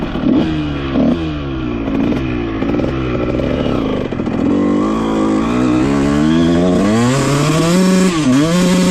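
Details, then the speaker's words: 2001 Honda CR125 two-stroke after top-end rebuild for a deformed piston ring and 60 psi compression, temporary wrong silencer, dented pipe, 380 main jet: crisp revving through the gears with slight stutter at full throttle; rich jetting breakup. "Um, full throttle. It just breaks up a tiny tiny bit. I I think you guys can hear it in the video. But, uh, we're running a 380 main right now."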